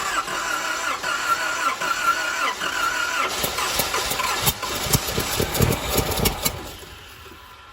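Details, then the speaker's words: 1989 Nissan 4x4 pickup, four-cylinder with eight spark plugs, 5-speed manual, parked about eight years, tried with brake cleaner. Starter churns unevenly for several seconds and never catches; cranks but no start because no fuel is reaching it. "all right ain't getting no fuel to her so we're going to see if there's any fuel coming up out of the filter right here"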